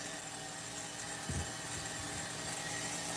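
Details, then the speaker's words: Megatech nitro Razor RC car, restored engine with sealed carb and okay bearings, first run: buzzy high-revving idle with an uneven low-end pulse and brief sag, barely holding idle; owner says it needs a tune. "I mean, it's keeping the idle to a degree."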